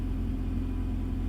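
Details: Honda Fit after sitting a long time, with a new battery, after a corroded starter solenoid wire was found and the starter replaced to cure a no-crank: a short burst of smooth, low, steady engine rumble with no stumble or misfire, a normal idle.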